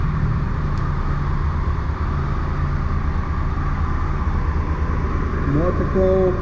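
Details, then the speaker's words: Triumph Tiger 1200 Explorer idling after repair: excessive play in the alternator housing and bearings, bearings replaced. Steady, even idle with smooth low rumble; no ticking or clacking, the alternator clock noise is gone. "Então montamos aqui, o barulho foi embora."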